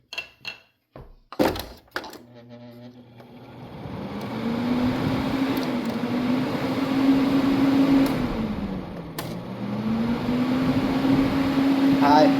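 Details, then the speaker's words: Honeywell Quiet Care humidifier fan during servicing, run through high, medium, low then spin-down: hum with faint rough ticking and scratchy spin-down; dry sleeve bearing needing oil. "That's definitely sleeve bearing. You can hear it's dry. So, definitely service that."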